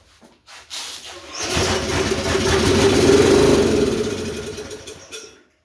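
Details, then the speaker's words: Flood-damaged, previously seized Snapper RER mower engine, first start after repair, cylinder soaked with ATF and WD-40, valves suspected sticking: cranks, catches, sputters unevenly, smoky, dies after seconds; no longer coughing through carburetor. Rough first start. "Well, didn't cough out the carburetor that time, so I say that's a win. Smoky, but that's probably because of all the ATF I've drowned the cylinder in and WD-40 and anything else I could throw that's oily down in there."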